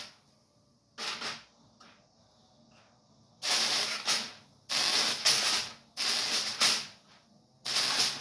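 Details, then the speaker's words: Ion lifter with foil folded over box edges as sharp points, top and bottom plates, no wire or skirt: sharp bursts of steady high-pitched hiss, about a second each, with the power; corona discharge, explaining low thrust. "that's the reason why the noise is a Corona discharge so that's why you hear that noise and why it's not producing a lot of thrust"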